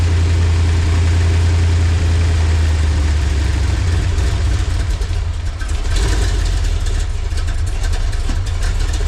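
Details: LT1 V8-swapped Jeep YJ after no-spark, no-charge repair, fired up after adding fuel: deep, steady V8 rumble settles into an even idle, then blips up and down cleanly with no misses or knocks; healthy running.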